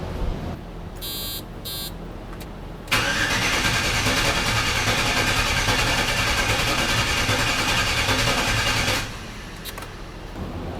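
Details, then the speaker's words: LS-swapped squarebody truck after engine wiring, first cranking with key on: starter churns engine at roughly three beats a second with an uneven, loping gallop, likely won't fire until tuned; cause undetermined. "I do not like the way it sounds sounds like it's got a little bit of a Gallop in there"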